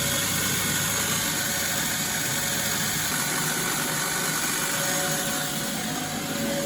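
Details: Bosch WFF1401 washing machine after replacing the motor bearings and fitting new brushes, on a fast spin: loud, coarse rushing roar with a gritty, uneven texture; still sounds pretty rough, though the motor works.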